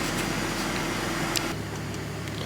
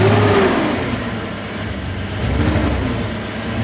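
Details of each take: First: E46 BMW after replacing an ignition coil to cure a misfire, with no codes on a later read. Quiet, even idle hum with no stumble, skip or uneven pulse under the background noise. It idles smoothly and healthy. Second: E46 BMW that suddenly started running rough on the way to work: engine running with an uneven, stumbling beat from a cylinder 4 misfire. A bad ignition coil is suspected; the car was once underwater.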